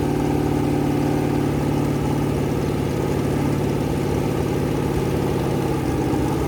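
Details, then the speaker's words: Rebuilt 426 Gen 2 Hemi crate engine (new heads, intake, pistons) on a run stand, flat-tappet cam break-in at about 2400–2500 rpm, 32° timing, kept under 2,800: steady fast-idle drone, no valvetrain ticking or knocking; normal high idle. "Every so often, I'll rev it. I'll bring it lower. I'll bring it higher. I'm not getting over like 2,800."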